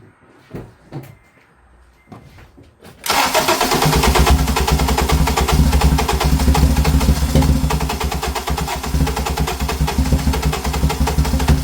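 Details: 2007 Acura TSX, towed in, no check engine light: after quiet pause starter spins engine steadily and evenly but it never fires, same result after refitting parts; cam timing jumped.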